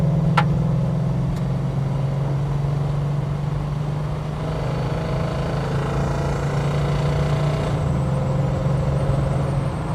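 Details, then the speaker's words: Holden HK on the road: a steady low hum with slight ping under road noise as the car pulls. The owner believes it comes from the transmission rather than the engine, though a commenter suggested a worn cam lobe. Noise under acceleration. "but yeah there's definitely that noise there something's not right I don't believe that's engine I really don't"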